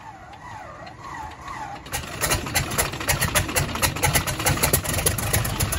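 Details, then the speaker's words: Cessna 195 after a no-start diagnosis and rebuild with new seals and gaskets: a wavering starter whine, then the engine catches with ragged pops about four a second, building into a run on both magnetos. "heck yeah well it works so that's good"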